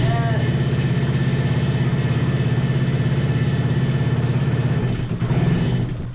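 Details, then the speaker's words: 125cc single-cylinder drift trike engine, just started after fuel work with booster on: even firing pulses at roughly two hundred a minute, a slow but steady idle that the owners call too low. "Okay! It's running!"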